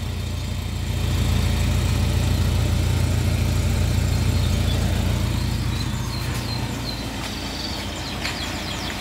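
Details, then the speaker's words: 2002 Suzuki Katana GX before the throttle is blipped. Steady, even low rumble at idle with no knocks or misses; the engine still sounds good and runs smoothly. "Coba kita gas Insya Allah suaranya mesin masih baik"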